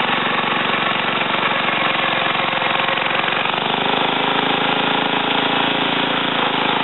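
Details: Ariens TA20A Trans-a-matic rototiller after engine rebuild and plate-clutch repair, carburetor untouched, run in a wooded area: fast, steady single-cylinder putter at even speed without misses or knocks; normal running.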